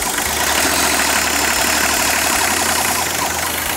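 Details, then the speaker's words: 1984 Toyota LandCruiser HJ47 with 2H diesel, first run after sitting 19 years, glow system bypassed: steady low diesel clatter at a settled idle, even combustion, no misses; running cleanly and sounding healthy. "good she's running"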